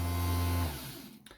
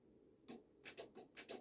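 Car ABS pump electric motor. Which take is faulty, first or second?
second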